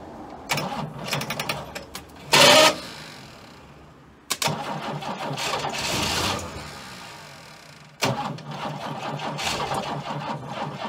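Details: Abandoned Chrysler Valiant VG, not run since 1997; first start attempt after fitting distributor (slant-six dizzy), battery, coil and leads, auxiliary fuel tank. Bursts of cranking with brief ragged firing dying between tries; fires but won't keep running, likely timing or fuel.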